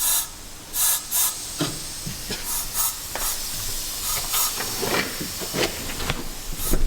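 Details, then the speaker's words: Nissan Skyline R32, revived after 15 years abandoned in a field, air blown into the intake: steady airy hiss with short louder puffs as pressurised air escapes from a leak in the intake pipework. "Well, if you can hear that hissing noise, >> it's leaking from somewhere like in here and he's eating up there. >> That's definitely one of them."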